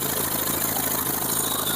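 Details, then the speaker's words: Honda Vario 150 scooter at idle during engine teardown, cam chain tensioner pressed hard by hand: busy, rattly clatter over the steady engine beat persists, so the noise is not from the cam chain tensioner; cause not yet found. "setelah ditekan menggunakan tekanan yang tinggi pakai tangan kayak gini suaranya masih ada berarti secara logika secara teori masalahnya bukan di bagian penekan keteng bukan di bagian sini ya"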